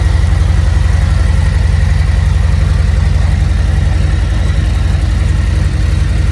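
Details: Harley Road Glide V-twin just after oil change with 4 quarts: even, deep thumping idle about four beats a second, smooth with no knocks; healthy idle.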